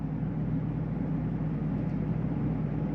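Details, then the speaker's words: 2022 Jayco Eagle HT 31MB, rooftop air conditioner switched to AC mode on a warm day: steady even low hum with constant fan whoosh, no rattles or surging; normal running. "turn this to ac get that cranking up in here you can hear that run"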